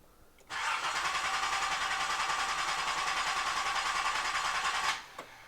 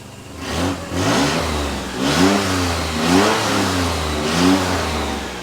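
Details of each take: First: Nissan 300ZX Z31 after fuel tank install, fuel pump running: starter spins evenly about three pulses a second for over four seconds, never catches; crank no start, owner then checks spark. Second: Nissan Z31 project, after replugging a connector that had cut spark: revs up and falls back cleanly about five times with steady idle between, no spitting or misfire; now running smooth, owner plans cap, rotor, plugs and wires.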